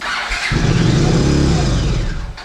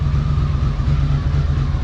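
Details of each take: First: 1982 Honda CX500 Turbo not run in 25 years, new fuel pump, injectors off for cleaning; brake cleaner sprayed into intake, engine catches with rough roar about two seconds then dies to clicks; no fuel delivery, runs only on spray, injectors clogged. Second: 1982 Honda CX500 Turbo twin after 25 years dormant, new fuel pump and cleaned injectors; steady low thrum with faint even turbo whine, no misses or knocks; normal running.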